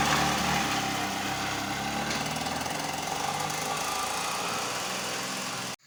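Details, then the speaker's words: Handmade off-road buggy with a newly fitted handmade exhaust: even, steady engine drone with no knocks or rattles, much smoother than before the vibrating part was changed; a small leak at the exhaust packing remains. "വണ്ടി വളരെ സ്മൂത്തായി കേട്ടോ. നമ്മൾ ആദ്യം കണ്ട സൗണ്ടും ഇപ്പോൾ കണ്ട സൗണ്ടും വളരെ വ്യത്യാസമുണ്ട്."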